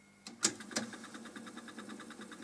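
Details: Cassette deck found at a German scrapyard, tape counter working: sharp button clicks, then a quiet, fast, evenly ticking whir of the reels on rewind; rewind works normally.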